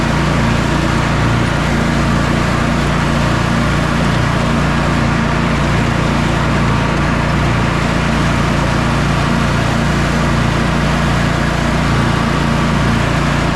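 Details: Sabre by John Deere twin lawn tractor after carburetor repairs and a new starter, test mow: steady, even drone under mowing load with no knocks or misses. Engine running great.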